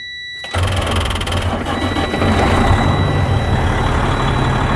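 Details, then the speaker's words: 2007 Freightliner with rebuilt Detroit Series 60 14L, about a year after the rebuild: after dash beeps the starter turns the engine slowly and laboured, about three turns a second, the starter not yet replaced since the truck was bought; slow dragging cranking. "My starter dragging like it was when I bought the truck. I still hadn't changed it because it ain't give out yet."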